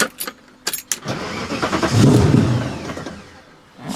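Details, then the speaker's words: V8-swapped BMW E30 after a rally, dies when clutch pushed in or throttle released, idle control valve already cleaned, running rich and smoky: crank, catches and swells about two seconds, then sags and dies; stalling from loose positive battery cable. "that's so odd to me so i'm dies so that's pretty strange it looks like it's running super rich it's blowing out a ton of smoke"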